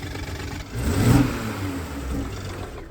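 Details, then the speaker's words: Toyota Supra carbon fiber edition rebuilt after being deemed unrepairable, revved from a rough idle to show blowby: quick rise and fall with chuffing breathiness; bad ring seals pushing heavy blowby and pure oil out the top. "The blowby on this car is so bad. The seals around the rings are so bad that this car literally is having pure oil come out through the top."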